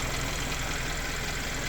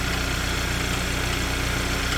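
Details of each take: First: Hyundai Sonata after applying a free no-liquid fix for an engine-bay ticking at idle: restarted, smooth even idle with a soft steady hum and no ticking; owner will check next morning whether the noise returns. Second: Hyundai Sonata engine ticking at idle: a light, fast tick tick tack tack riding over a steady idle, began suddenly and stayed almost continuous, car left unused for a long time; cause not confirmed, later cured by a free no-liquid fix.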